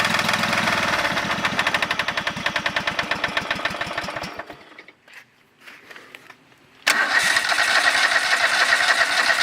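A small petrol engine runs with a fast, hard rhythmic knocking, briefly dropping away before coming back. Cause suspected, not confirmed.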